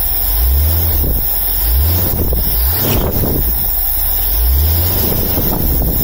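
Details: 1978 Scout II 345 V8 with Holley 2210 carb, after the off-idle stall fix (power valve piston vacuum leak blocked, jets drilled to 0.041): a low, steady rumble holds an even idle without stumbling or dying, partly buried under wind on the mic. It is a normal idle.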